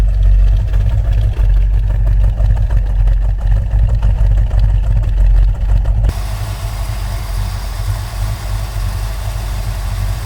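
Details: 1970 Dodge Challenger R/T, owner-built, just after a carburetor swap with a freshly rebuilt carb: deep, steady V8 burble at fast cold idle, even, warming up for a few minutes; normal cold idle.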